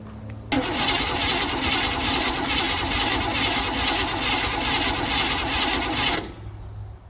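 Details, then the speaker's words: Old car with an old, unidentified carburetor after repeatedly filling the bowl by hand, very gassy smell: starter churns evenly about six seconds but never fires; owner suspects flooding or a bad accelerator pump. "Wonder if the accelerator pump on this thing's just garbage. Or maybe I flooded it."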